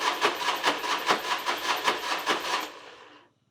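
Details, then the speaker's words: Harley big wheel bagger with rebuilt engine: rhythmic starter cranking at about 2.5 strokes a second that never catches, then winds down. Owner suspects a crank sensor damaged during the rebuild. "So that might be why it's not starting, because I feel like it should have started by now."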